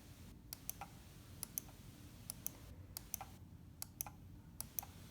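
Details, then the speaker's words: Logitech MX518 mouse right button: six crisp, clean, identical press-and-release clicks, the normal sound, compared against a left button that sounds like it hits something. "can see regardless where I push the sound from right button is clear and crisp is normal"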